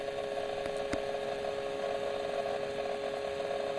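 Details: Acer Predator 17 laptop under intensive CPU/GPU load, heard at the back-right and back-left vents. Loud, steady thin electrical whine with a high, inconsistent grinding buzz; coil whine and electrical discharge, caused by a faulty motherboard that was replaced under repair.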